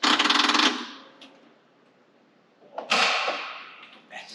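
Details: 1991 Ford Mustang LX Foxbody, 17,000 miles, AOD automatic: fast chattering clicks, about fifteen a second, in short bursts with no cranking. A weak battery is suspected and a jumper pack was needed.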